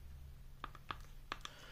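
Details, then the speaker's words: A flexed Audio-Technica ATH-MSR7 headphone cup gives only a few light plastic clicks and no creak over a low room hum, after being treated with thick damping grease; the other cup still creaks. "Одну чашу я уже сделал, она вот не скрипит."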